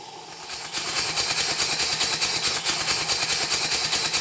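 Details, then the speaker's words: Southworth duplex boiler feed pump after repairs, live steam test from a boiler far too small for it, very low pressure. Soft, spluttery hissing exhaust chuffs about two per second; running wet on cylinder condensate, water visible. "I'll try the pump again and see what happens not only can you hear how wet the pump sounds you can see the water"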